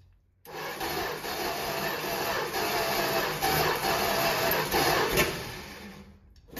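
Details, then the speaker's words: 1964 Dodge Dart wagon, 170 slant six, parked over 25 years: steady rasping crank at nearly four beats a second catching only now and then; owners suspect it's firing on just one cylinder, not confirmed. "Why is it only firing on the... Doesn't it seem like it's firing just on one cylinder?"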